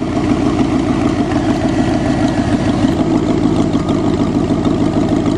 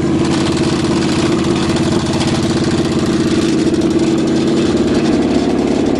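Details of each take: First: Cheviac in freezing weather, after making fan clearance at the rad cradle: steady, smooth quiet idle with even beat, no knocks or misses, running on its own. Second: Cheviac demo-derby car, cold start at about 2 degrees above zero after fuel line work: uneven idle with quick steady slapping tick about three times a second as the cooling fan hits the plastic radiator shroud; later fixed by clearancing the radiator cradle, two fouled plugs replaced.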